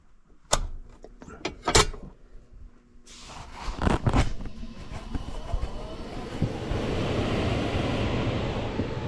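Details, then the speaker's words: Old Trane air handler after the failed variable-speed blower motor was replaced with an X-13 constant-torque motor and rewired, fan called at the thermostat: clunks, then the blower spins up smoothly into a growing air rush, no rubbing or rattle; normal operation. "All right, I think we got the fan turned on at the thermostat."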